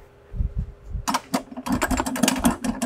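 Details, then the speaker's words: 1984 Mercedes-Benz 300D (123 chassis) on lift after sitting several years: loose clacking bursts as shifter linkage is shoved back and forth; worn-out shifter rod bushing between shifter and transmission, a common easy fix. "the transmissions on these really don't give a lot of trouble but i can see from experience that the shifter rod bushing is gone and i can prove that by the noise i'm about to make"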